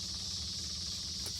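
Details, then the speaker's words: 1972 Honda Z with makeshift dollar-store electric fuel pump wired in, remote fuel system, key on: steady high-pitched hiss-whine with faint hum; pump works, priming normally. "Well, let's turn the key on, see if the pump works. It does."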